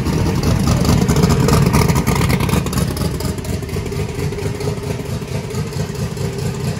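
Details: Truck just converted from gasoline to methanol, first start with brake clean: loud V8 settles into a heavy, uneven lope with a slight sag; running rich at cold idle, the start tune needs work.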